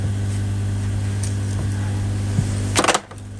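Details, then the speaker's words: Newly fitted replacement air pumps on a koi pond: a steady low hum with no rattle, then a door clunk; much quieter than the old noisy pumps they replaced. "oh that's a lot better still hear them that you're going to i suppose but so far yeah that seems a lot quieter than me so happy with that"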